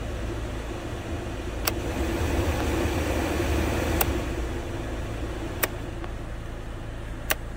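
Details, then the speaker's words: 2003 Peugeot 307 2.0 HDi 90, idling, after repairing the heater blower resistor and burnt wiring harness: blower on speeds 3 and 4 gives a steady, even rush of air with no rattle or surging; blower works normally. "écoutons est ce qu'on entend quelque chose il ya le bruit du moteur évidemment hélas en anton ça fait du bien c'est très belle nouvelle position 3 ah là on entend bien et enfin position 4"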